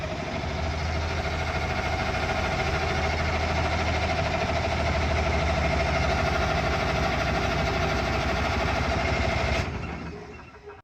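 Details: Large military diesel generator with new fuel lines and filters, primed: steady starter churn at about three beats per second with no firing, then it stops. Fuel is not reaching the injectors, so the injector lines are to be cracked; some smoke was seen.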